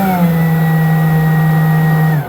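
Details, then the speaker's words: Ryobi 40V brushless Whisper blower on a fully charged battery, trigger held still at the lowest position: a steady motor hum for about two seconds, then it abruptly cuts out and stutters. The worn speed switch is suspected. "so as you see me not moving my fingers just in the first position should give me the lowest slowest amount of air and instead it's cutting in and out."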